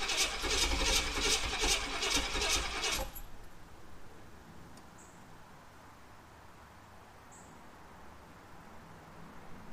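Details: 1991 Pontiac Trans Am 305 TPI that would not start after its throttle body stuck open, with fuel pressure holding about 40, cranks steadily and fast for about three seconds without firing; the cause was ignition timing off from a misaligned distributor rotor.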